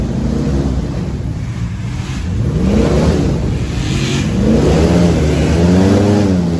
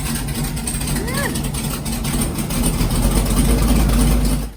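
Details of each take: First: LS3 V8 airboat engine after repair, under load coming out of the hole, where it previously acted up: pulls cleanly up and down through the revs with an even note and no misses or popping; healthy. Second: LS3 V8 airboat engine, backfire and pop heard from passenger side: lumpy, uneven idle stumbling about three times a second, a dead cylinder misfire, before unplugging coils to find it.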